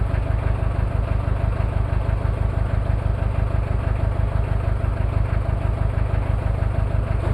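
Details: Cold start of a Toyota 2L-T diesel after piston rings were replaced without a top overhaul: heavy, uneven lumpy beat about twice a second over the idle clatter. Misfire from one bad injector, with possible cylinder head issues.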